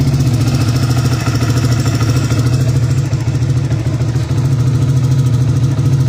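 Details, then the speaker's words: Rusi Flash X scooter, after a DIY throttle body cleaning, running with no air filter: the engine had been dying after starting with no idle; now a small single thumps evenly at idle with a slight blip, revs holding without hunting. "Namamatay kasi yan pag-start mo namamatay. Walang menor. Ayan may menor na ulit siya."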